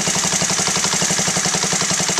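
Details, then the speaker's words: Honda Z50A after carburetor clean and rebuild, pilot screw adjustment: small single popping at quick idle with even fast beats, starting to stumble as the pilot screw is turned off its sweet spot (settled at 1.75 turns); idle stumble from pilot screw misadjustment. "It starts to stumble."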